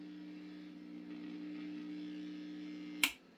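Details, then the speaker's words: Vintage Swan 350 transceiver with recapped power supply, lid off: steady low hum with second tone just above, even from switch-on until sharp cut-off; owner suspects rear wiring/Jones plug. "I don't like that and it has something to do with this wiring going on back here"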